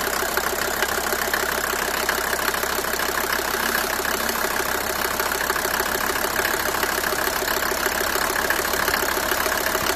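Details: Mercedes W124 250T diesel at 245,000 km, idling cold after head gasket and valve stem seal replacement: a fast, uneven clatter and ticking over the running noise; cause unknown.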